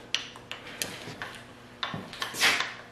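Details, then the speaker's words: Mercedes M100 6.3 V8 with piston failure, engine apart, piston rocked by hand on about cylinder four: sharp metallic clicks about three per second; loose upper wrist pin, all eight cylinders loose; owner suspects fuel-diluted oil from leaky cold start valve. "this one is not one of the worst ones but you can definitely hear it's loose"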